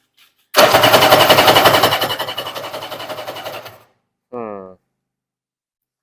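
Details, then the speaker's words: 1994 Kawasaki 750SX stand-up jet ski, unused for years: starter churns in quick even pulses about three seconds and slows, no firing; cranks but won't start, spark confirmed, fuel system probably gummed up. "oh doesn't sound like it's doing anything H well back to the drawing board so we just double checked to see if we had spark and we do so the fuel system is probably gummed up and we're going to have to break that down"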